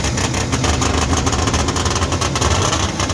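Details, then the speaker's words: 1958 DKW pickup with a front-wheel-drive three-cylinder two-stroke on premix, first start in a long while. It gives a crisp, rapid ringing buzz like a snowmobile, with even firing pulses and no knocks. Normal running. "sounds like an old uh 650 Polaris it's alive all for now"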